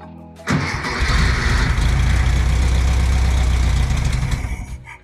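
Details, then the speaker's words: 1964 VW Beetle air-cooled engine stored 8–10 years: catches at once, runs rough a few seconds, then sags and dies as starting fluid burns off; fuel starvation, no fuel getting through until the carburetor was cleaned. "See if it'll start without the starting fluid. Go ahead. Okay. Yeah, it's just not getting any fuel."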